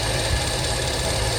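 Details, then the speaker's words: 1977 Mercury Cougar XR-7 with a lumpy, stumbling low idle that worsens in gear and smooths at higher RPM; timing set pretty close; owner suspects carburetor or fuel, plans a filter swap and a possible plug change. "it started out running really great and now it's got back to this kind of shaky low idle thing you put it down in gear one way or the other and it gets a lot worse but if you keep the RPMs up it's fine"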